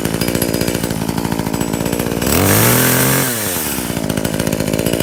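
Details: Brand-new Tanaka 14" top-handle chainsaw on its very first start, fuelled with 89 gas mixed with two-stroke oil. Choke is off and an even high-pitched buzz revs smoothly for about a second, then settles back; runs clean and healthy.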